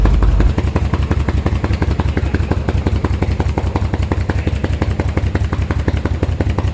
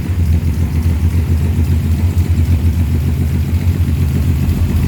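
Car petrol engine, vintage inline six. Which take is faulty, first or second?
first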